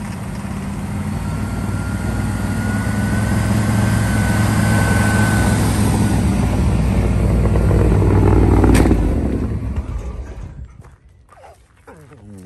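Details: 1961 Chevrolet Impala V8 barn find, first start after 28 years asleep, on starting fluid with oil full: a steady rumble with a light tapping about four times a second before shutdown. Suspected rockers or rods, unconfirmed.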